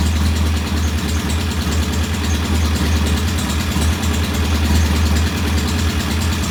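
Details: Norton P11 vintage British motorcycle twin, first start after carburetor fully disassembled and old dead gasoline replaced with fresh; loud, low idle with an uneven, lumpy beat that never settles; one carb's pilot jet not following adjustment, suspected partly blocked.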